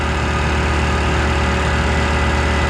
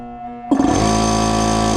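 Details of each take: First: Air compressor on a newly wired shop circuit refilling from about 100 psi toward a 140 cutoff the gauge may not read right: smooth, steady motor drone with even pumping pulse around two a second, no knocks or rattles; normal. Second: Air compressor motor gives a sudden loud, steady electrical hum held over a second without winding up, straining and hesitating to start on a newly energized shop circuit; owner suspects the motor is getting tired from how he's been running it.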